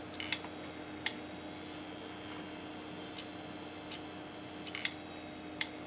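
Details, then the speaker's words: Old SCSI hard drive on an Amiga 3000: faint steady hum with scattered irregular ticks, no spin-up whine; drive starts up and dies repeatedly, never reaching speed. "Drive dies starts up and dies you hear it starting up come on baby"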